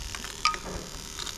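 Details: Bench test of a 1995-96 LS400 1UZ-FE to IS200 plug-and-play harness, injector number 1 triggered by a crank signal: a sharp, light single tick in a quiet room; the fuel injector is working normally.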